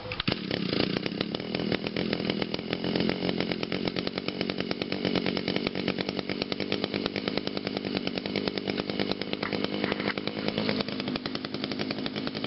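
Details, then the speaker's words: Echo two-stroke on a cold start after sitting about three weeks (last ran July 5th, now July 25th) catches on the first pull and holds a steady, even high-rev buzz with no misses or surging; normal run. "wow I am so shocked it started on the First full and it set and it last ran since July 5th and today is July 25th that is amazing"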